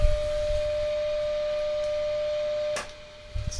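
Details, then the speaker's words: 1940s forestry service radio receiver, untouched and unrestored, at full line voltage with the dim bulbs bypassed, fed a 10 microvolt test signal through attenuation; clean steady tone over a quiet background; sensitive, normal reception. "still there and through the attenuation that's actually a hot little receiver nothing's been done to it"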